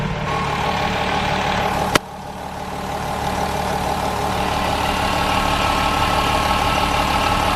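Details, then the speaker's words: VW Golf 4 VR6 2.8 L V6 after in-car timing chain replacement for chain noise: even, settled idle with steady drone, no rattle from the chain end; quiet and healthy. "alles schön ruhig so gehört sich das"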